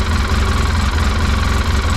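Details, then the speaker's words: 2011 Polaris Ranger 800 XP after replacing a bad TPS sensor wiring harness that caused rough running and check engine light, light now off; steady even low idle rumble, no misses or knocks, heavy vibration; normal idle. "It seems like it's running okay."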